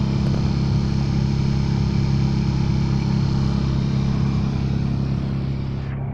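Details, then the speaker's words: Car A/C blower fan switched on with the ignition on: loud, steady low drone with a rough hum that eases off; noise traced to the blower fan itself, which is to be removed for inspection. "พอเราเปิดพัดลมแอร์ปุ๊บเราก็จะได้ยินเสียงแปลกๆหรือเสียงดังเกิดขึ้นนะครับที่ตรงพัดลม"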